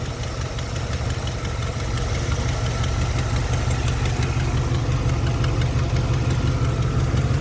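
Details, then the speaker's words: 1991 Chevy Silverado 350 V8 with a new alternator, idling on the alternator alone after the jump starter is removed: steady idle with a light, fast tick about three per second; suspected exhaust manifold leak at one of the headers. "Got an exhaust manifold leak over here somewhere on one of the headers."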